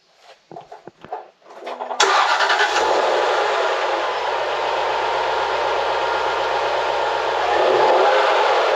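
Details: 2006 Jaguar XK8 Victory Edition, recently driven 3 hours home: starter cranks briefly, engine catches cleanly and settles into a smooth, even idle with no knocks or ticks; sounds healthy.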